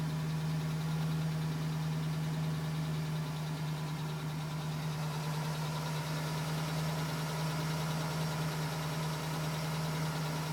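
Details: 2010 GMC Sierra with 2000 miles, cold idle. Faint, fast light tapping riding along the engine note; owner suspects piston slap. It was still tapping at 4 minutes and stopped at 5 minutes 42 seconds once warm.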